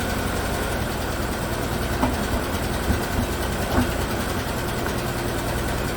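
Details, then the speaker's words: 2017 Chevrolet Equinox 2.4 AWD, used replacement engine (130,000 km) on first start after swap: uneven idle with a stumble about every second, check engine light flashing, code P0300, misfire; later smoothed out, possibly dirt in a valve. "obviously missing oh well now the check engine light is flashing let's see if it straightens out"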